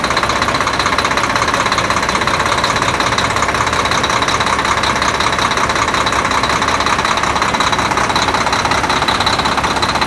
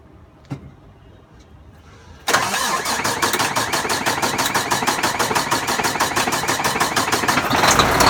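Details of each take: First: Volvo D13 diesel after replacing double idler gear in timing gear compartment, following a hard start; settles into steady idle, even rapid clatter about three beats a second, no misses or surging. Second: Volvo D13 diesel first start after replacing double idler gear in timing gear compartment; starter cranks steadily about three turns a second for six seconds without catching, hard start.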